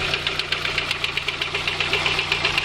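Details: VW Golf 2 1.6 idling; the knock seems to come from near the first spark plug, and the owner first suspected a lifter or camshaft. Sharp, regular light knock about five per second over a steady hum; failed timing belt tensioner roller bearing.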